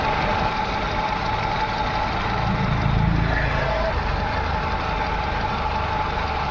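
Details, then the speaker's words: VW Vento petrol engine, P0300 and P0201: rough lumpy idle that never settles. Injector connector refitted but no change, because the ECM sends no pulse to cylinder 1 injector. Coils and plugs checked OK. Cylinder misfire from ECM fault. "Socket मैंने लगा दिया है। लेकिन engine पे कोई फर्क नहीं पड़ रहा है। क्योंकि एक नंबर इंजेक्टर में करंट नहीं आ रहा है।"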